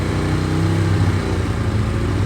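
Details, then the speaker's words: Ducati 848 with suspected failing throttle position sensor, held at a set rpm: low engine drone with revs flicking slightly up and down, hunting that worsens the more it is ridden; recorded before the sensor was replaced. "and it's fluctuating the revs up and down. So yeah, so I'll show you that, and then holding the throttle at a certain RPM, and then it is just flicking up and down ever so slightly."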